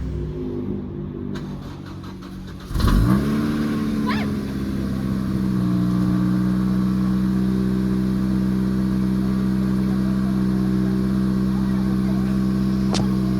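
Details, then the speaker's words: Acura RSX Type-S, not run in a while, cold start with A/C off: short crank, catches at once, brief flare, settles to steady even fast idle; normal cold start. "let's turn off this a air and then we're going to turn it on to cold let's go oh yeah nice little cold start for"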